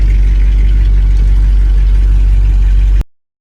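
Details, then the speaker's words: 1959 Cadillac V8 that sat a couple of days, cold start before a compression test; oil pressure and charging are good and it runs a little rich. A deep, uneven idle with a constant low growl underneath, called out as a terrible power steering pump. "They have good oil pressure. Charging good. You hear that power steering? Just terrible."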